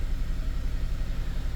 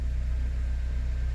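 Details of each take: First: 2006 Honda Element K24 with code P0301 and a flashing check engine light, idling rough with a dead miss on cylinder 1; coil and spark plug were ruled out, and an injector swap confirmed a faulty injector. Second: 2006 Honda Element K24 idling after repair of a P0301 cylinder-one misfire. Smooth, even low rumble, no stumbles; scanner shows zero misfires on all cylinders.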